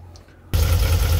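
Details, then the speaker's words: VW Kombi that sat for days in rain and misfired after starting: the engine catches and settles into a low, lumpy, uneven idle. A loose plug cable was tightened, which helped slightly. The spark plug cables are worn and leaking spark, with the third cylinder faulty; the cables need replacing. "eu vou ligar a Natália lá para ver como é que vai ficar porque ele tava floxo aqui ó agora eu apertei ó Até ficou melhor vamos ver se já vai emparelhar um pouco mas a princípio já deu para perceber que vai ser os cabos tem que trocar os cabos tá bem feio"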